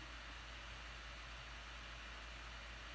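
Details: Laptop fan after being opened and cleaned: a soft, steady airy hiss with no rattle, buzz or rising whine; the fan now runs quietly and evenly, much quieter than before cleaning.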